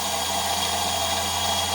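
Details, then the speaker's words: 1959 EMC lab 360° turntable drive motor, run at a much higher voltage after lower voltage drew heavy power and sounded wrong: steady even hum with constant high whine, no labouring; turning normally, no sensor feedback. "So, it's working so far pretty good. And it is, of course, turning around."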